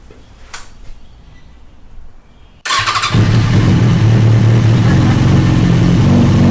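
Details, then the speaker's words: 2006 Kawasaki Ninja ZX-6R in neutral after replacing the starter: a quick crank, then it catches at once and settles to a steady, even idle; the starter seems to have been the problem. "neutral nice I guess it was the starter"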